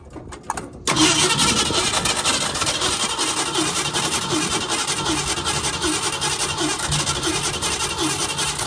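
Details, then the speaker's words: 1965 Ford Mustang 289 V8, restarted a day after first firing (oil not yet changed); fuel fed from a gas tank on the floor; idles with a light fast tick/tap, quieter than yesterday; valve lifter tick suspected rather than rod knock. "does sound a lot quieter as far as that lifter tick I think we were getting yesterday goes, which already makes me feel a little better. It is still definitely making a little bit of a click, a little tap."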